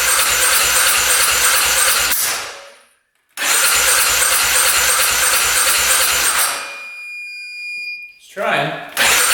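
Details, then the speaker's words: 2010 Polaris Sportsman 550 EFI ATV, unrun for years, after cutting a clogged crankcase breather line: starter cranks in quick even pulses but engine never catches; nearly fires, cranks without starting. "Sound like wanted to go there for a sec. Keep on going with it."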